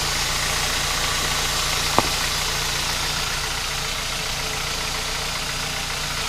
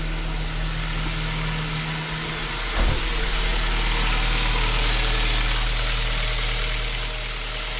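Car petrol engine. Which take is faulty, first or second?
second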